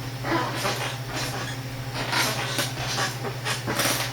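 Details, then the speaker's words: Staples Burlston office chair bought 2014, lift cylinder replaced 2015, now leaning left: rough sound rocking vertically plus new sideways rocking, irregular creaks and dull knocks from a cracked base where the seat meets the lift, near snapping. "The chair has always been able to rock vertically. You can hear it sounds rough. So it can rock vertically, but it's gained a new feature."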